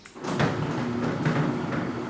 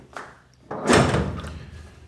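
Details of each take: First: Tilting garage gate, 20 years old, after PET-bottle bushings fitted: soft rolling thump and light rattle, no banging along the travel; still knocks at the bottom but otherwise quiet. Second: Tilting garage gate with 20 years of use, heavy clunk and short scraping rattle as it comes down; arm pivot bushings worn and unlubricated, owner fixes with PET-bottle strip bushings and oil.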